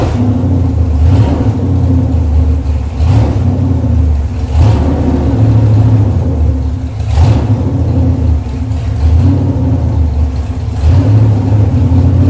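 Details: Chevrolet 454 big block V8 on a test stand, cold day: deep lumpy rumble rising with repeated throttle blips and settling back cleanly; over 2 gallons of fuel run through, runs nice and strong, ready to deliver for a restored El Camino.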